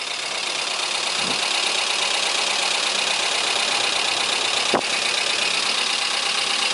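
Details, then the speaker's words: Chevrolet Corsa 2000 idling after camshaft replacement for a worn-cam noise, about five to six minutes after startup once the lifters had filled. Even, steady idle with no knocking or ticking; valvetrain sounds quiet and healthy. "já faz uns cinco seis minutos funcionando carregou todos os turistas que tinham barulho vocês perceberam está perfeito"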